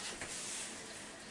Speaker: it's running because it's full there's two things you got to look for when you have a running toilet is one your flapper may not be shut or two water level may be too high and it's running over the overflow